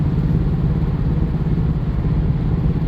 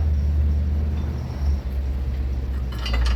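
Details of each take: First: 2017-ish Subaru Forester at about 70 mph on a slight turn: deep, uneven thumping from the front right corner under road rumble, with violent steering-wheel shaking that stops when straightened; worn front lower control arm bushing. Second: About 2017 Subaru Forester after front right lower control arm replacement for worn bushing that caused steering-wheel shaking and banging at about 70 mph in turns; steady low road rumble, light interior rattles, no shudder or vibration, smooth ride.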